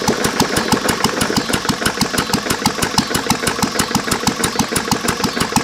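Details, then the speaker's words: Lister throttle-governed stationary engine, circa 1920–1930, at very low idle: sharp heavy knock about three times a second; rod bearing ruined by water in the oil from a cracked block. "I mean besides the rod knock and in need a paint it actually is a good running motor"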